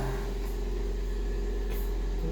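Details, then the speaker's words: 2003 Toyota Kijang LGX 1.8 EFI manual, dealer-maintained: even, steady idle with a low smooth hum and no knocks, misses or ticks. The engine is running very smoothly. "Sekali jering ya. Mobilnya suaranya halus sekali."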